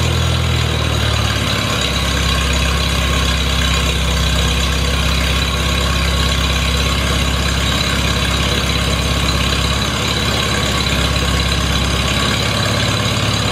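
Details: Farmall Super A tractor, cooled down after sitting, fires up after ground and wire repairs restored spark: steady, even low-pitched putter with no knocks or misses, settling into a smooth idle; owner thinks she'll run just fine.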